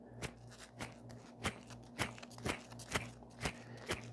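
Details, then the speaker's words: 2017 Hyundai Ioniq Hybrid electric AC compressor, disassembled after working fine: gritty crunching bursts about twice a second as the rotor's large center bearing is turned by hand; center bearing destroyed, back bearing fine. "wow we the bearing is destroyed yep there'll be no doubt this is exactly the very same problem that happens to most of the air conditioning compressor of the Nissan power cars"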